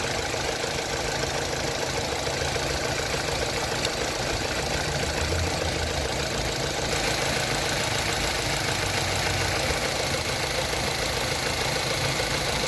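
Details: Opel Astra H petrol engine at idle: fast light ticking at roughly two per second, suspected to be the throttle body; cause not confirmed.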